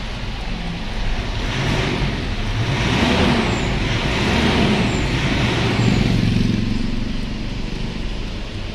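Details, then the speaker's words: Mitsubishi Strada that had no crank and no start, starting after a faulty two-way relay was replaced with a surplus Japan relay and the fuse refitted; engine catches into an even low rumble, no misses or knocks, normal start and idle. "Ikabit na natin yung relay t kinabit na natin ng fuse try na natin kung aandar na Ayan umandar na"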